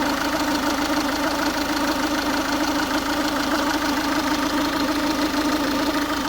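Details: Ford Focus 1.6 TDCi diesel at warm idle: rattly mid-pitched clatter with irregular knocks about once a second, noise only when the engine is warm; cause unknown, owner asking for opinions.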